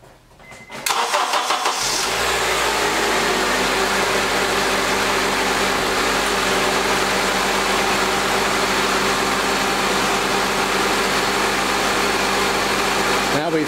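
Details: Engine start during a battery tester's cranking test: short brisk crank of about a second, then it catches cleanly into a steady idle. Battery health 83%, 12.54 V, 490 CCA against a 500 rating; crank time reads normal.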